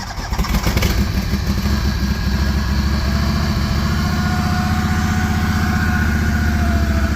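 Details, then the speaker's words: Finicky-starting farm engine in Saskatchewan winter cold, battery needing replacement: brief cranking, catches within a second and settles into a steady even beat; normal running after start. "oh I don't know this guy might start it's pretty finicky at times that sounds pretty"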